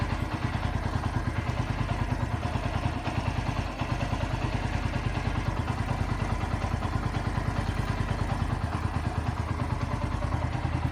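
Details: Bajaj Pulsar NS125 single-cylinder at 9,300 km, with its third service done, idling with a light, fairly even top-end tick that the owner blames on tappets; cause suspected, not confirmed.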